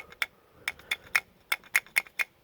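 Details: 2005 Volvo XC70 D5 diesel rear wheel: sharp tinny metallic clacks over bumps as the outboard brake pad rattles against the caliper where a steel clip was never installed.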